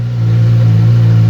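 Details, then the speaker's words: Suzuki GSX-S 1000F being rebuilt, after sitting a couple of months, started after refitting the tank: fires right up into a strong, steady low idle with no misses, knocks or hunting; engine healthy. "let's start her up fires right up beautiful Suzuki 1000"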